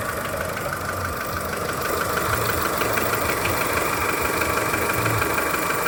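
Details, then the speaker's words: Skoda Fabia 1.4 at idle: light regular knock about three times a second, loudest low in the engine near the timing belt side, audible from a distance; dealer says piston slap and normal; cause unconfirmed. "Больше всего его слышно где-то снизу. Официалы говорят, что это перекладывается поршень, и это все в порядке вещей."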